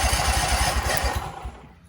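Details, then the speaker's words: Husqvarna commercial zero-turn mower that sat 4 years, not yet running, cranked by jumping the starter solenoid: rapid low thumping of the starter turning the engine over for about 1.5 seconds with no firing. "all right we're turning over boys"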